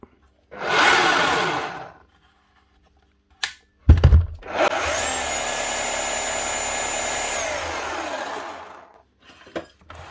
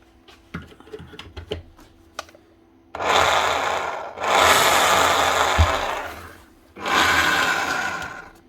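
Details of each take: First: Makita HR5211C rotary hammer from 2012 after repair with a replaced broken conrod and new O-rings: the motor spins up to a steady high whine, holds evenly and winds down cleanly with no rattle or grinding. Normal running. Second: Makita HR5211C rotary hammer, over 10 years old, before repair: the motor spins up in smooth bursts with only a whirring drone and no hammering beat. It runs very free, piston not moving. The cause found was a broken connecting rod.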